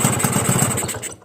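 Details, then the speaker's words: Suzuki Crystal two-stroke whose carburettor works normally with no leaks: fast, uneven low idle that swings and won't hold, lowest about 1,800 rpm, stalls near 1,500. Owner suspects excessive compression or the cylinder head cover. Unconfirmed. "เดี๋ยวท่านผู้ชมดูนะเห็นมรอบมันจะสวิงนะครับมันไม่ลงฮวบเลยนะ"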